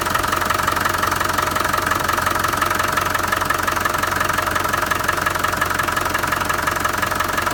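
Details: Land Rover 300Tdi turbo diesel idling with a steady, regular knock about three times a second over the engine note; cause unknown, owner seeking ideas.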